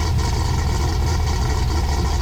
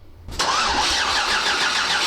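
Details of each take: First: 6.8 LS3 stroker V8 in a '55 Chevy pickup, first start after correcting a four-cylinder running fault from unplugged injectors: deep, even rumble holding steady with no misfire or stumble, all cylinders firing cleanly. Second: 6.8L LS3 stroker in a '55 Chevy pickup on its first start, with coils hung: the starter spins the engine steadily with a bright whir but it never catches and there is no spark; the cause is suspected to be tune-related.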